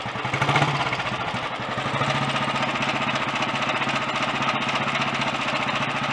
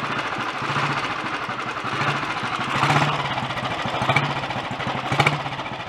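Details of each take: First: Early Redditch Royal Enfield 350 Bullet single idling after carb pilot jet cleaning, new oil pumps and head-nut tightening. Busy whirr and clatter over the beat from the magneto/dynamo gear drive, now mechanically quieter and less tappety. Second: Early Redditch Royal Enfield 350 Bullet single after unblocking Concentric carburettor pilot jet and new oil pumps, ignition slightly retarded: slow even thump with light chatter from gear train to dynamo and magneto, no engine knock or smoke; healthy idle.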